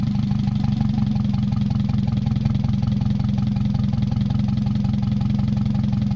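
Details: Mazda 626 first start after cylinder head reassembly, rest of exhaust not connected, oil overfilled: uneven lumpy idle beat, heavy low shake, speed hunting slightly. Owner suspects O2 sensor misreading the open exhaust, possibly old gas or bad EGR. Rough fluctuating idle.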